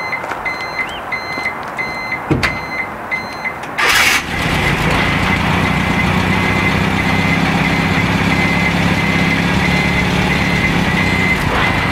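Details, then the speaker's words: Reversing beeper bulb on a Renault Trafic: a clear, steady chirping beep, then the engine starts and its drone nearly buries it. The beeper is working. "En tout cas on entend un bip, mais avec le moteur tournant je suis sûr on l'entend"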